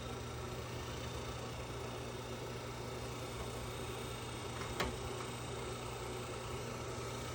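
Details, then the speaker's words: Newly installed Cadet Com-Pak 120 V fan-forced wall heater with thermostatic control in a bathroom, just switched on at the panel: steady soft fan whir with a faint low hum, even throughout; the heater is running normally. "No, because I would hear it humming. There it goes. Sounds like it just turned on. And we're working."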